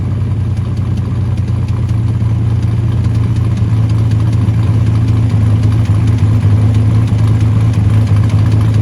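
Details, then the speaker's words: 1979 Ford Capri Mk3 Ghia 3.0 manual barn find, running after about 20 years laid up, jerry can fuel, no coolant so run about 5 minutes: steady even low rumble with mild rev rise, no knocks or rattles; engine sounds healthy. "Ran it for about 5 minutes maybe. No water in it, so we couldn't run it for too long."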